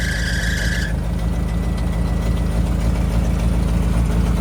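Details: 1988 Suzuki Samurai parked since the late 1990s: engine fires and settles into a steady, even low rumble with a regular beat; runs cleanly.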